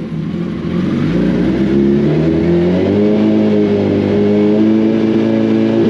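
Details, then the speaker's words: Freshly rebuilt 2006 first-gen Hayabusa limited edition engine on its fourth break-in heat cycle before dyno: revs climb smoothly and hold, with a clean, even exhaust note and no knocking, ticking or misfire. "We got the that's the fourth break-in cycle we've put in on this engine since we got started up. So what we generally do when we're looking to break an engine in is we're putting it through heat cycles."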